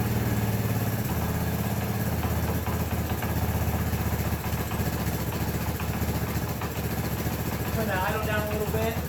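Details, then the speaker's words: 1984 Honda ATC 200ES Big Red after a top-end rebuild and valve adjustment: a steady single-cylinder thump settling to an even idle with no top-end ticking or clatter; the earlier worrying noises are gone and it runs as it should. "bit dizzy fixed it great so we'll call that a victory uh actually sounds much better than it did in there um everything sounds as it should all noises are gone"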